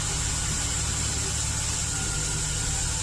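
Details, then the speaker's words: Chevy Express V8 idles with an uneven, stumbling beat under a steady high hiss as cylinder 1 misfires, possibly not fully warmed up; the cylinder walls are scored and leak compression into the crankcase, and an additive poured in failed to fix it. "I think it's just too far gone it's misfiring now so that didn't work"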